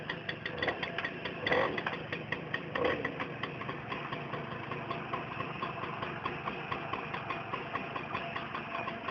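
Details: Tomos moped two-stroke idling with a loose, uneven metallic rattle over the putter, likely clutch rattle (unconfirmed); clutch rattle at idle, before the fix.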